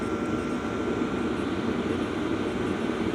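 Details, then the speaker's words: LF Bros N2 Pro diesel heater turned down toward its lowest setting (1.4, range about 0–5), steady even blower rush with a faint constant whine, no ticking or surging. Owner hears no fuel-pump tick at all. Normal low-power running. "There is no, not a little, not minimal, no fuel pump sound."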